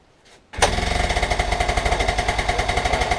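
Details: Honda Express NC50 two-stroke moped, barn find under restoration, cold start with fresh premix fuel; quiet, then it catches instantly and settles into a quick, even putter of about eight beats a second. Clean, healthy cold start.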